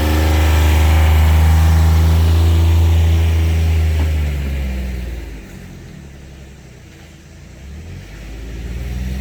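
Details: 2019 John Deere Gator XUV 865R diesel after replacing burnt factory synchronous drive belt (jerky in high range, lost top speed at ~600 miles): smooth engine drone pulls, eases off, builds again, no jerking, slipping or surging; belt drive healthy.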